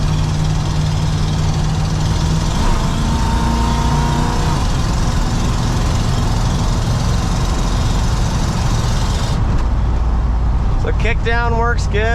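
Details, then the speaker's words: 1984 Ford F-150 short box 4x4 V8 on a drive: deep steady roar swelling as pedal goes down, four-barrel carburetor secondaries opening cleanly on kickdown; normal. "You can hear that 4-barrel kick in. It's got a lot of potential, you know."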